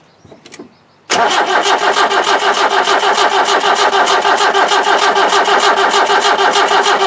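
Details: 1991 Land Rover 90, ex-military 2.5 naturally aspirated diesel that doesn't run, cranked with injector pipes cracked to check for fuel: the starter turns it evenly at about three beats per second with no firing. The cold start may not be working.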